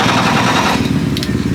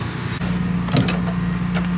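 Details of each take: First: Starting with the clutch pedal pressed, pedal moving with the starter: starter grinds through a rapid, labored chatter; seized throw-out bearing, fingers spinning against it, causing the resistance; clutch had been slipping. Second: Drift car after its clutch and throw-out bearing were repaired: the starter cranks briefly, then the engine catches cleanly and settles into an even, steady idle with no knocks or grinding.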